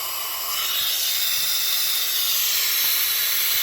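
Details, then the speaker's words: Quad ATV that won't start, leak-down test at top dead centre on the compression stroke: strong continuous airy hiss of air escaping past the intake valve, not the exhaust; massive air leak from a leaking intake valve. "okay massive air leak it's not the exhaust it's the intake"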